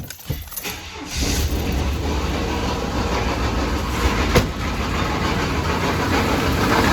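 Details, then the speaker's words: 1993 Chevy Silverado 5.7L 350 TBI, knocking worse over weeks: engine runs with uneven lumpy knock at rough idle, sounds like rod knock; compression 150 on all but middle two driver-side cylinders at 90; blown head gasket or cracked head suspected. "not sure what it is kind of sounds like rod knock i also did a compression test i'm at 150 on every cylinder except the middle two on the driver's side are at 90. so it's definitely blowing through the head gasket or cracked or something"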